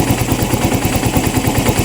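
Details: Yamaha Mio i 125 (M3) that misfires and smokes, with a drifting TPS (74 vs adjusted 66) and an O2 sensor dropping low without reaching 1 volt: rough idle with irregular popping beats and a lumpy low thump. Misfiring, cause unconfirmed.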